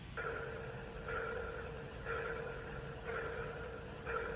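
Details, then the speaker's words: Starliner spacecraft, mic held next to the speaker: hollow sonar-like ping pulsing about once a second with the same two tones; crew think it sounds software-generated rather than physical, cause unknown. "It was kind of like a pulsing noise, almost like a sonar ping."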